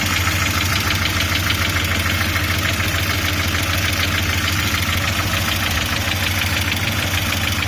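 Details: Audi 80 B3 at steady idle with a fast, fairly even knock about three per second from inside the engine; source not pinned down.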